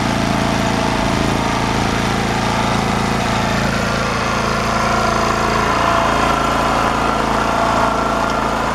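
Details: Champion generator after a new carburetor and with the air filter assembly refitted: even, steady drone at about four beats a second with no misses or knocks, much quieter than before; running smoothly.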